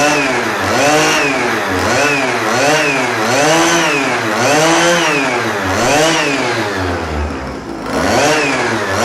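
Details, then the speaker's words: First start of a Chinese pocket/mini bike two-stroke, Dellorto SHA 15mm carb, on bad oil-rich fuel mix: crisp buzz with smooth repeated rev blips, clean pickup, no misses, some smoke; engine running well. "Yeah, baby, she runs! Now there is some smoke right here. Of course, it is with the bad fuel, not really bad fuel, but more rich oil fuel. But she sounds absolutely amazing."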